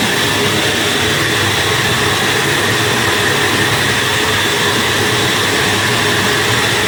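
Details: Flour mill (chakki) with the feed opened and pressure applied: dense, even rushing grind with a steady whine, slight vibration, no knocks or surges. Normal grinding under load.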